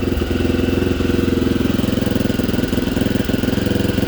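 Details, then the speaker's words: 1987 Honda XL250R RFVC single-cylinder dual-sport, barn find after years of sitting, starts first kick; warmed up a little, idling steadily with an even single-cylinder thump and a quiet top end, no valve clatter; normal idle. "engine's so quiet normally they're a lot noisier sounds great listen to that wow sounds so good"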